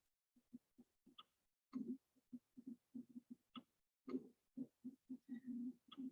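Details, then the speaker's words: SimCentral Super Anne 3 chest tube trainer in spontaneous breathing mode, set by holding the mode button: soft low clicks repeating steadily a few times a second; normal operation. "you can hear that there is a regular clicking sound that it makes that's when it's so spontaneous breathing"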